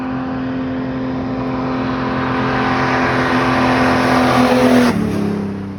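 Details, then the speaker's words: Jeep Wrangler Rubicon 4.0L inline-six first fired after a top-end rebuild for a leaking head gasket, with a new fan and Y-pipe refitted. A loud, even exhaust drone climbs then eases off, firing regular with no ticks or knocks; running healthy. "we're gonna fire it up here in a second after we check everything and uh it's gonna be loud but that's how we like it"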